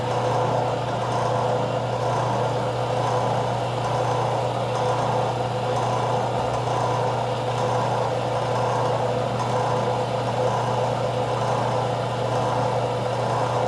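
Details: Craftsman 101 12-inch lathe motor after fix: end housings removed and rotated a quarter turn, capacitor wire extended. Steady, even electric hum, low drone, no rubbing, knocking or speed changes; motor runs smoothly.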